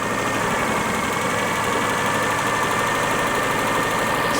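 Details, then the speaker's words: Daihatsu Charade started from very cold after revival, with an oil pressure check: fast, even, smooth high idle with no misses or knocks, a normal high idle for a very cold start. "sorry she's idling quite High she's idling quite High well she will do it's a very very cold start yeah true and Japanese cars tend to they tend to idle high"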